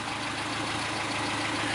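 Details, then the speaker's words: 1974 Ford Courier pickup, 1.8 L four-cylinder, swapped Weber or Holley carburetor, air pump removed, 4-speed manual, budget restoration: steady, even idle with a smooth low rumble, no knocks or misses; normal idle, runs pretty well. "Go ahead and start it up. It runs pretty good."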